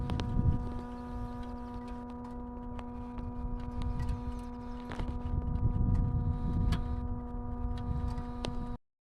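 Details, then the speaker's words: Turbocharged car, engine off: steady low electric buzz with faint higher whine as the electric coolant pump runs about a minute pumping coolant to the turbo after shutdown; normal after-run. "this car has a great feature when you turn it off it'll pump coolant towards the turbo for about a minute with the engine turned off"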